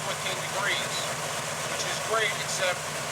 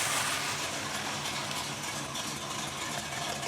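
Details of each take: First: 1963 Chevy C10 pickup, 350 small-block V8 with four-barrel carb; after advancing initial ignition timing by turning the distributor counterclockwise, the idle is smooth and even but raised, and the idle speed now needs bringing down. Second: 1963 Chevy C10 small-block 350 with a four-barrel carb, after setting ignition timing to about 16° and readjusting idle: smooth, steady idle with no stumble. It idles about 600 rpm in gear and slightly hesitates when mashed, suspected to need accelerator pump shot adjustment.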